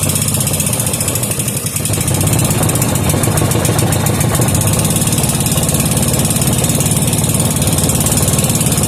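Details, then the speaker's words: 5 hp Briggs and Stratton with gear reduction, being serviced: uneven, hunting small single-cylinder putt at about three to four beats a second; runs lean and stalls unless half choked. "okay doesn't want to stay running unless you have it half choked so we're going to turn that fuel the air fuel screw out one half turn see what that does for it"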